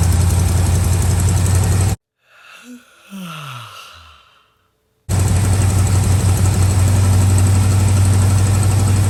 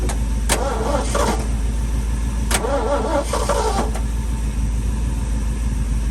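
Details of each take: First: Old truck V8 just started cold on choke: deep, steady low rumble with even pulse about four per second; runs and drives, no blue smoke on startup. Normal cold idle. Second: Long-stored sentimental old V8 truck: slow, even starter churning at about two turns a second with no catch, as fuel drained back during storage slowly refills.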